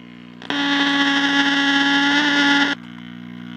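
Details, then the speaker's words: Tube radio of unknown make, recapped by previous owner: station audio harsh and fuzzy over a steady hum; owner suspects a failed 50L6 output tube, with hum also suggesting remaining grounding issues. "Turn the volume down. I think our output tube is probably cream puffed."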